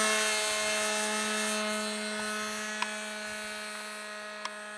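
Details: Model aircraft glow engine in flight, now much quieter: a steady high buzz holding one pitch and slowly fading as the plane flies off, smooth and subdued. Normal running with muffler fitted.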